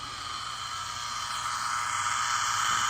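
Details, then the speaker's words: Tri-Field EM100 meter plugged into a wall socket feeding TV and A/V gear, mains about 118 V (slightly under voltage), reading in the thousands: steady hiss with a high tone near one kilohertz and faint buzz, rising slightly; dirty, noisy mains line. "It basically, as you can hear it, it measures noise on your line coming out of your wall socket."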